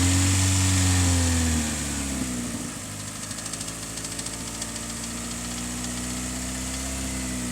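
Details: 2002 Hyundai Elantra petrol engine settling from a higher rev to idle with a light, uneven rattle over the hum; owner cannot identify the source or location, and the engine is also burning oil.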